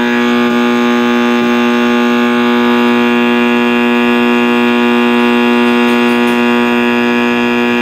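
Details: 1960s General Electric black-and-white TV, back off, warming up after power-on: a loud, unbroken howl from the speaker over a steady, unchanging hum; cause unknown.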